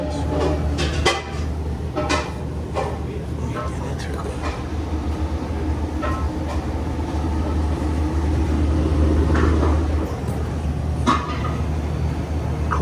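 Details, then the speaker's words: Commercial prep table not cooling: thermostat clicking, condenser fan motor humming, but compressor not running; sharp overload clicks every few seconds ("click of death"), bad starting components suspected, not confirmed. "Let's see if our compressor's running. I don't hear it. I hear the condenser fan motor. Click of death."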